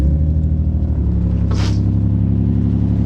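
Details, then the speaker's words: Nissan 350Z VQ engine with a P0300 random misfire code, at idle: a steady low idle with an uneven, loping pulse; it runs "not that bad," and the coil packs are being checked. Misfire at idle. "so as you guys can see it's uh it's running not that bad but there's a misfire in here"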